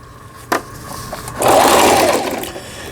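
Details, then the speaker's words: Singer 3221 sewing machine after shuttle race hook timing repair and new needle: single clack, then short burst of even fast stitching, smooth whirr, no catching; loudness from hollow lower housing; normal sewing. "지그잭 바느질을 해보겠습니다. 지그잭 패턴 해놓고 누빔 바느질. 이 기계가 좀 소음이 크다고 이렇게 느껴지실 거예요."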